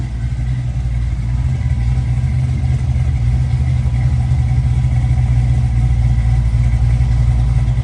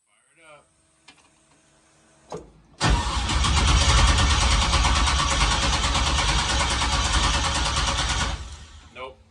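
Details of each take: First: 1965 Chevy Nova V8, first start with newly installed performance cam, non-boosted, 50–60 psi oil pressure, throttle blades cracked open: deep loping choppy idle around four pulses a second, steady; normal lumpy idle with performance cam. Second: 1965 Chevy Nova on first start attempt after TPS reset: steady even cranking about six seconds at a quick regular beat but never catches; fuel pump not heard, cause suspected, not confirmed.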